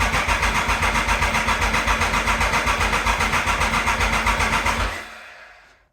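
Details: 1996 Triumph Thunderbird, bought as a non-runner, after sprag clutch repair, with choke on: steady, even cranking at about four turns a second, no clanking as heard before; normal starter cranking, may not yet have fuel.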